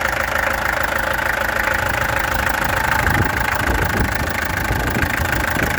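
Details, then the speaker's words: Peugeot XD2 diesel at idle, before the injectors were removed, tested and adjusted: uneven, lumpy beat with irregular stumbles in the knock. Owner suspects a misfire, possibly on one cylinder; cause not confirmed. "Now what's going on here? Kom eens kijken, wat gaat hier aan? This thing has a misfire, I think."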